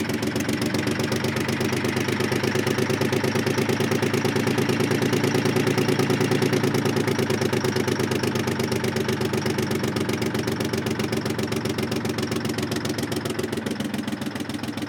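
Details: Terex 80-20 diesel after sitting 30 years, cold: slow, uneven chuffing idle that stumbles and sags toward the end, likely not all cylinders firing; rough idle after long storage.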